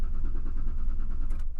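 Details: 2001 Ford Explorer Sport, cold morning about 46°F, fails to start on cold days, accelerator pressed to the floor: steady, even cranking that never catches; extended crank, no start, owner suspects a weak fuel pump.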